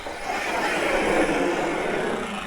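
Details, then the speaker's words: Arrma Kraton 6S RC car after shimming rear differential spider gears, run under load: even whirring gear mesh, slightly different but not bad, earlier clicking noise gone; drivetrain healthy. "is gone. Awesome. This thing is the beast. Well guys, it seems to be running pretty good."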